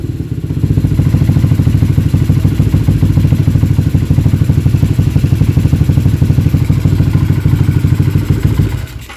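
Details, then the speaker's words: Freshly rebuilt up-spec moto engine (LC135/Y15 package shop), first start after remounting in the frame, before coolant fill, with the customer's Red Leo 3235 exhaust (uncertain): loud, even open-exhaust thumping settling to a steady idle, no knocks or misses; normal idle. "Dan kita dah cuba start. Alhamdulillah boleh start lah."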